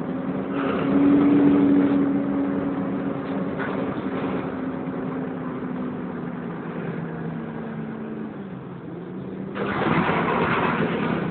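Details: First Bradford Wright Renown bus 60833 (W766 HBT) on service X11 from Pudsey to Leeds: a harsh, steady screech like a tyre burnout over the diesel engine, coming from the cooling fan area.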